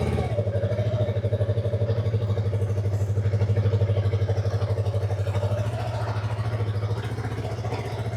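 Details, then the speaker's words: Yamaha YZF-R3 on a test ride after refitting the stock exhaust pipe: soft, even low thrum with steady pulses and no popping or rattle; very quiet, mostly engine noise now, running fine. "Tahimik na guys. Grabe tahimik. Sobrang laki ng nagbago sa tunog."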